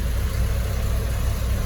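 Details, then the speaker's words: 1995 or 1996 Peugeot 405 STI idling with AC switched on after AC and leaking power steering repairs, compressor cycling and cooling; smooth, even low rumble, no dips, knocks or hunting; normal idle. "Oke, sudah hidup. AC sudah dihidupkan juga, on off nya berjalan, dingin. Mudah-mudahan dinginnya kuat ya."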